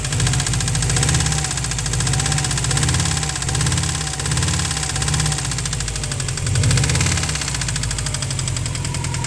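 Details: 2003 Subaru WRX EJ20G boxer at idle: loud, steady, deep knock in time with the crank, heavy and rhythmic; rod knock from a spun bearing, and the short block is finished.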